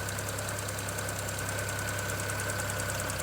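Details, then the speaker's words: 2009 BMW 335i N54 after upper radiator hose replacement, heater running: rough, uneven idle with a light rapid tick over the engine note; misfire, owner suspects a ticking ignition coil. "Well guys, in typical N54 fashion, it's now misfiring, completely unrelated issue. Watching to see if I got any coolant leaks here. I can hear a coil ticking, may be able to hear it as well."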